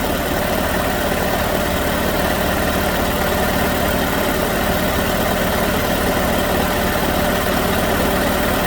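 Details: 2006 Chevrolet Malibu 2.2 Ecotec four-cylinder, flashing MIL, P0300, very low power: loud lumpy uneven idle, cylinders 1 and 4 not firing, no spark on cylinder 4 either during spark testing; ignition control module failure confirmed.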